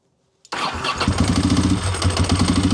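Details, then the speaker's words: 748 motorcycle on a new $30 Amazon battery (listed 175 CCA), fuel pump primed: brief strong crank that catches almost at once and settles into a steady, even idle; healthy start. "Guess that's a yes. I think she's a runner. So, that's a $30 battery for the win."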